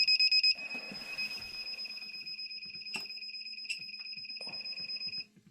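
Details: Dometic 3-way caravan refrigerator, about three years old, in gas mode: rapid high beeps then a steady shrill tone with clicks; gas locked out because the flame does not ignite, ignition fault traced to the main controller.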